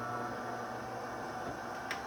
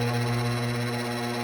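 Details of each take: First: DeLonghi Magnifica EVO grind-and-brew coffee machine, a couple of years old, at power-on after clearing a bean jam: steady pump hum with rushing water for about four seconds, then a clean cut-off; normal nozzle rinse flush, which it wasn't doing before. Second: DeLonghi Magnifica EVO grind-and-brew coffee machine, a couple of years old, at power-on: loud, steady, strained motor drone that never changes pitch as the drive labours; brew unit (diffuser) jammed after whole beans were poured into the ground-coffee chute.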